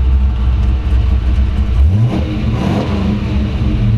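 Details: 1933 Ford Factory Five hot rod coupe, Ford 302 V8, AOD automatic, 586 miles, water temperature 150, oil 50: deep V8 burble climbs cleanly on throttle and drops back smoothly, no misses or knocks; normal rev.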